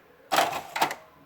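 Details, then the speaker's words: HP Deskjet F4480 printer that jams paper and won't move the carriage with the door open; after cleaning the encoder strip, the carriage still catches with two harsh scraping rasps against the housing. Faults are the dirty strip plus a suspect actuator still to be tested. "falamos do carrinho só tá pegando muita fazendo barulho"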